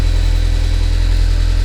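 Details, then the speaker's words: Newly bought sports car project, battery charge unknown, started at idle: heavy, clattery low-pitched diesel-like chatter, engine running very rough. "so as you hear it almost sounds like a diesel that's how bad it is"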